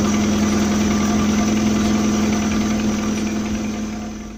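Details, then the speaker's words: Accessory drive (alternator) belt squealing steadily on engine start, with music in the background. In sub-zero weather the rubber hardens and slips on the pulleys; belt slip also occurs under load at low rpm and at idle. "происходит проскальзываем с роликами ручек о-го-го ремня не появляется посторонний звук звук может быть при старте вот как на данном примере"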